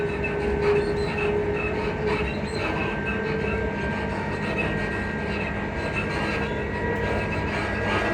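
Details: Class 334 unit 334031 running on the Haymarket–Bathgate service: high, thin squeaking tones over the steady rumble. A suspension squeak is suspected, source unconfirmed.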